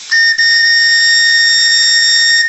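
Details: Steam whistle on the Maximae launch's live-steam RC boiler during a table test, with no leaks remaining: a clean, steady shrill whistle held about two seconds, with no sputter or wavering. The whistle works properly.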